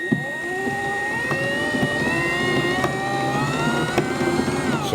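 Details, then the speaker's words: Toylander 2 Land Rover build with an electric-motor chain drive: the motor whines up steadily with a sharp click about once a second; a dial gauge shows the sprocket was welded at the wrong angle, causing the chain to click. "the sprockets actually welded a wrong angle and that's what's making the clicking noise"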